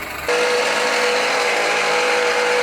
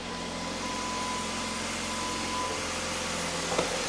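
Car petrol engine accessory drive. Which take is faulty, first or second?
first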